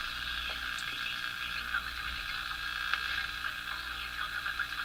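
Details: Crosley Model F-5 tube radio: steady low hum under hissy station audio, unchanged after swapping the 12BE6 tube for a tested replacement. Tunable hum modulation persists, cause still unknown.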